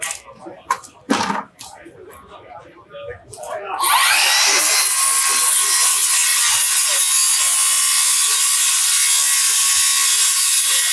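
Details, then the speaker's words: Circular saw with a plain uncoated silver blade in a tough demolition cut: loud, harsh, strained cutting roar with sparking and burning as the overloaded blade bogs down. "right you can see the sparking you can kind of hear the saw bogging down uh you can see the burning i can smell the burning right and you can just see that's what happens to a normal blade in this application"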